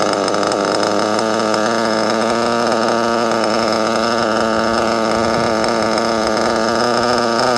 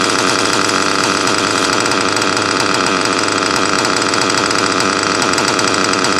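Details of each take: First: Nitro RC car engine at idle: high buzzy idle wavering slightly in pitch as the brake linkage, set too tight with too little gap, tugs the throttle off idle; idle speed change from brake linkage adjustment. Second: Nitro RC car engine in cold weather: high busy buzz holding steady and even with no misses or stumbles; normal running.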